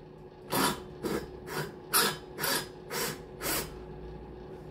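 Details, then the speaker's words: Valve lapping on a new cylinder head for a Cox 1641 engine, valve spun back and forth by a drill in a 2–3 °C workshop: gritty rasping bursts about twice a second; lapping compound still cutting. "on va écouter le bruit on va entendre on va bien entendre que ça que ça reprend quand même"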